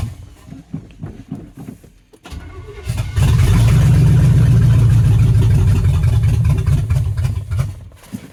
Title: 305 Chevy hard starting